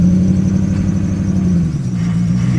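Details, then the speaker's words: Neglected 2002 Lexus SC430 with misfire and stored codes, idling in gear with foot on brake: steady squeal over uneven idle with stumbles; slipping accessory belt plus misfire, some soot. "again open the noise there squeaking belts misfiring and something's going on with the"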